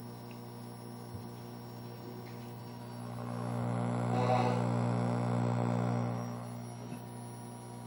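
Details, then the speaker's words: Nintendo Mario Bros arcade cabinet, 20EZ audio, after trying a forum-suggested fix, mic at same spot: steady low mains hum with overtones, unchanged, still present; ground loop suspected, fix possibly not permanent. "about the same isn't it I still hear the hum so that might not be the permanent fix"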